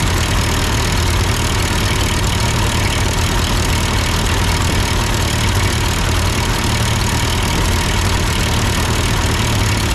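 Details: Ford 8N tractor idling after an amateur adjustment of the carburetor: steady, even low chug with no stumble, misfire or hunting throughout; carb delivering cleanly, normal idle.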